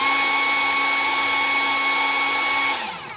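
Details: Chinese Makita-type cordless mini chainsaw that beeped without starting, after controller replacement: steady high-pitched motor whine holding even speed without dropouts, then winding down smoothly; motor runs normally.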